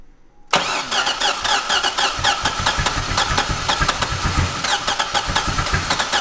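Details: Wrecked C6 Corvette Z06 V8 with Texas Speed heads and cam, started after cam timing was corrected: starter whir, then catches and runs with a choppy, lopey idle and steady valvetrain ticking; finally running properly.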